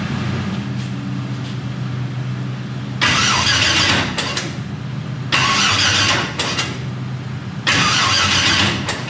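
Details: Turbo LS-swapped Mustang, about 1000 hp, on its first start-up with coils and injectors connected: several long cranking bursts a couple of seconds apart, each almost catching then dying back; a hard start, owner suspects low battery voltage.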